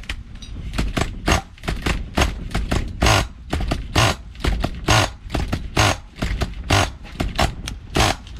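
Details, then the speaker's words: Nitro engine in a vintage Losi Muggy RC buggy, engine has compression: uneven rasping bursts about once a second that catch then shut off; owner suspects an incorrect clutch bell assembly. "it's catching, and then it shuts off."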